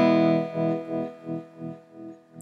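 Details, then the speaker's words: Squier Telecaster after spraying deoxidizer into the volume and tone pots: distorted chord rings cleanly through the amp with no crackle, pops or feedback; slight crackle remains only at one knob position. "alright so straight away it's not making any crazy feedback like it did a second ago"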